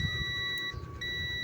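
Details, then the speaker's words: Continuity tester in buzzer mode giving a steady high beep, breaking off briefly, showing a new videoke microphone's cable shorted to ground, which caused the mic's scratchy, noisy feedback. "Set natin yung tester sa ah buzer lang kadalasan diyan. So ayan tumutunog naman kasi continuity lang naman tayo kung may shorted tutunog yan."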